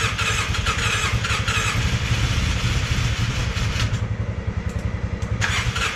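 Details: Polaris Sportsman 600 with almost no compression: weak, uneven cranking thumps that stumble and barely catch, never settling into a run.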